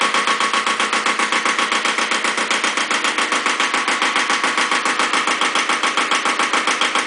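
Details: Second Iseki tractor diesel, possibly KE70, started at 70°F after glow plugs, low power and weak below about 1000 rpm: sharp hard knock on every beat, about 3.5 per second, loud and rattly at idle; owner suspects terrible blow-by, not muffler, unconfirmed.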